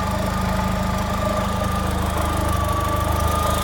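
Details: Vauxhall Astra Mk4 1.6 16V at idle: regular low tapping, about three to four per second, over the engine hum; abnormal knock, cause unknown to the owner.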